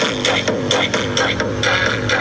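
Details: Konzert AV-502C amplifier (original) playing music: loud passages sound harsh and broken up, worse on one channel.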